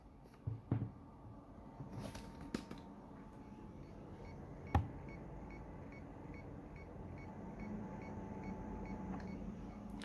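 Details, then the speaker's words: External hard drive powered through a 1.5 m USB 2.0 extension cable, phone held close to the drive: a quiet faint whine with irregular clicks as it repeatedly fails to spin up and is not recognized. Insufficient USB power. "I'm going to try to turn on the external hard drive connected here on the computer now nothing appears and I can hear a strange noise here"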